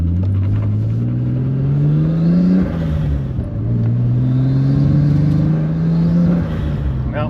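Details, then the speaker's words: Nissan 240sx with RB25 swap, test drive after new coil pack install: revs climb twice under load but the note turns rough and uneven once boost comes in, misfiring on boost; owner suspects a bad or fouled plug, unconfirmed. "yeah see as soon as we get on the Boost you can hear it like sounds like it's firing away"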